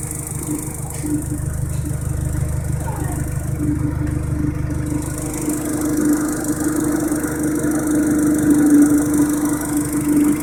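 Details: Audi TT petrol engine idling after a 20v camshaft and Audi R8 TFSI coil packs were installed. A steady mid-pitched hum with a faint irregular rattle from the intake; runs normally with no VCDS fault codes, cause unknown.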